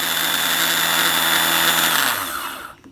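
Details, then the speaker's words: Suzuki Quad Runner 250 starter motor being bench-checked during restoration: a bright, even electric whir holding steady pitch, then winding down smoothly as power cuts; the starter runs fine. "so it's running fine"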